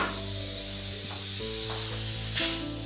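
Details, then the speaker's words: Old, long-stored spare inner tube on a CJ2A Jeep spare tire, pinched and popped, found with no pressure; steady high airy hiss over low hum; air leaking from punctured tube. "Well, for reference this is what it sounds like when you've pinched your tube somewhere and popped it. I went to check the thing and it had no pressure."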